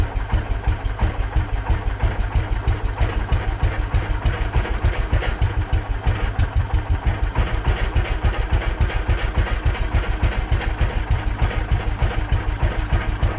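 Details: Case 444 single cylinder, fed from a temporary jerry can: strong regular beat of about three pulses a second with no misfires or stumbles; running properly.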